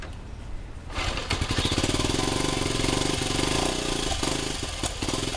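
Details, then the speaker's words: 1971 Honda CT90 single, just reassembled after an engine rebuild and valve adjustment: runs unevenly and stumbles, beat wandering, will only run on choke; owner suspects an air leak at the old air boot and tests with starting fluid. "So, got some starting fluid. And basically, I'm going to get the bike running and then sort of spray the air boot and see if we get a surge or what because basically it only wants to run on choke."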